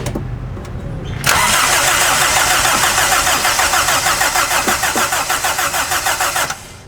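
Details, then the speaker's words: Car unused for 10 years, first start attempt: starter cranks strongly and evenly about three beats a second for five seconds but engine never catches; no spark suspected, possibly something misaligned. "Kayak nggak ada apinya sih. Iya, kayaknya meleset itunya tuh."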